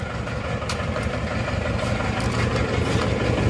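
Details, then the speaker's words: Isuzu Panther Touring Turbo diesel (pre-Euro), overhauled a year ago; idle limping, uneven beat about three times a second, one cylinder down on power; suspected scored liner, heavy blow-by, thick exhaust smoke. Misfire from a suspected scored cylinder liner. "ini ada kemungkinan linernya sudah baret makanya ini satu silinder seperti kurang ada tenaganya dan pincangan"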